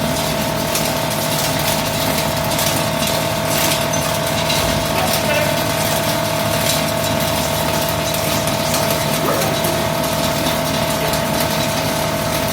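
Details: High-speed plastic shredder/granulator shredding recycled HDPE (RHDPE): steady even rotor roar with light plastic rattle and constant hum; normal shredding operation.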